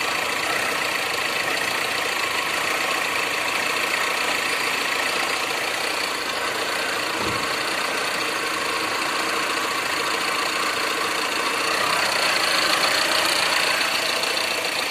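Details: Tata Indica at 1,90,000 km: loose, uneven clatter of about three or four ticks a second over the idle; noisy engine, source not pinned down.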